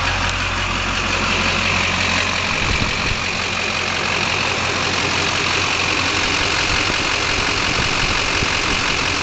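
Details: Chevy LB7 Duramax diesel idling loud with a busy, uneven clatter around three beats a second; owner suspects failing injectors, worst balance rate 3.2 and idle rail pressure about 5500. Not confirmed.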